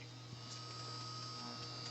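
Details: Newly installed Frigidaire 30-inch induction cooktop boiling water: a steady low hum and a thin constant whine, with faint ticking and zapping from the water under the pan. This is a normal induction hum.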